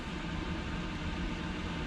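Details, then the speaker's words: Chinese diesel heater in an overland teardrop trailer, recorded inside with the door shut, fan on high: steady even airy rush with a low rumble, no ticking, knocks or squeals; blower fan running normally at high speed. "full steam ahead, I believe, because that's coming through there quite noisy."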